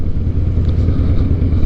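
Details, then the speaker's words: 2007 Harley-Davidson Night Train V-twin after repairing holed in-tank fuel line and weak fuel pump, fuel under a quarter tank: deep, steady, lumpy rumble with even firing beat, no misses or stumbles; running smoothly. "Sounds like we got her fixed. Feels good, man. I think we got her fixed."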